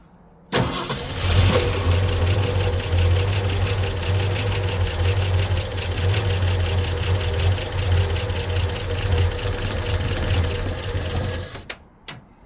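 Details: 1965 Ford Mustang 289 V8 barn find, parked 29 years, points cleaned, fuelled and sprayed with ether: catches quickly and settles into a steady, even idle; all cylinders seem to be firing.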